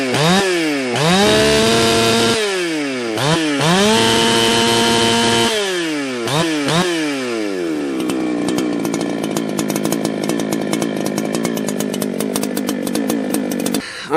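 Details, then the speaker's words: Ported chainsaw, freshly tuned, measured with a wireless tach. It settles to a steady idle of about 3,000 rpm between blips, then screams to a clean, even full-throttle howl of 14,140 rpm. The tune is correct. "man, that's taking a look at our Tach here. We had about 3,000 RPM on the idle for that one."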